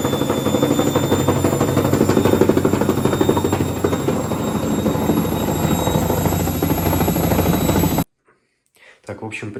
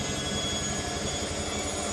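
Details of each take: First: Hotpoint Ariston front-load washer: hard knock about three per second as the drum turns; shock absorbers first suspected wrongly, front tub counterweight had worked loose, tightened to fix. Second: Hotpoint Ariston washing machine after the repair, spinning with three towels: steady, even rush and hum with no knocking; the earlier knock came from a loose front counterweight on the drum, now tightened.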